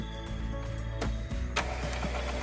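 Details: Epson L220 printer that had a blinking ink/paper error, powered on after the paper sensor lever and rear paper support were put back: soft motor whir and carriage clunks. It is a normal startup, and the fault is resolved.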